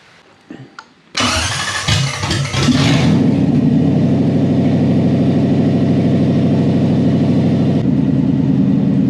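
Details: Lamborghini kit car with a Toyota 1UZ V8 on a Link ECU with coil-on-plug ignition, newly wired: quick crank, then it catches cleanly and settles into an even, smooth idle. It sounds healthy.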